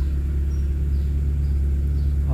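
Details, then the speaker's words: Proton Wira after fixing hot-engine stumbling (semput), plug wires reinstalled: low, even rumble, steady rpm needle, no vibration; normal idle. "Alright. Enjin stabil. dia punya RPM jarum RPM cantik."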